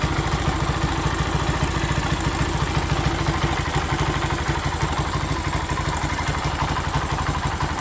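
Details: Honda Sonic 125 that would not start, with new carburettor: fuel line replaced and fuel filter added, now it starts, part left off to watch for flooding. Steady, even low thump with regular beat, no misses or clatter; normal idle.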